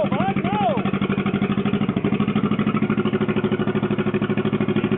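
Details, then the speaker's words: John Deere 420 Crawler two-cylinder tractor, restarted after a no-spark problem, running loud with an open, barking pop at about three pulses a second; the muffler is rusted out, giving the characteristic two-cylinder pop-pop. "running loud of course that's what a rusted out Muffler will do for you"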